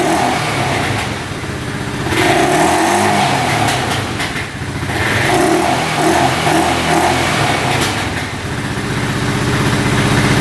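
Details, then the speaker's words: 2012 Honda Rancher 420 4x4 ATV single-cylinder engine thumps unevenly with occasional small backfire pops, running slightly lean with the air filter off; no codes, no oil leaking. "It's running a tad lean because the air filter isn't on there. That's why you hear it kind of backfiring there a little bit."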